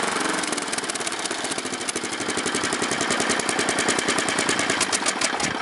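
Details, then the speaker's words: Snapper mower small engine after carburetor float adjustment, governor suspected: fast uneven patter with occasional sharp pops; engine still popping a little, cause not pinned down. "it's still popping a little bit but"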